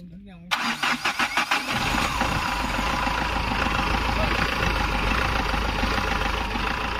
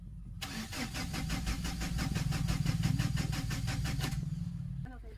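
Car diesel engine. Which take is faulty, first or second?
second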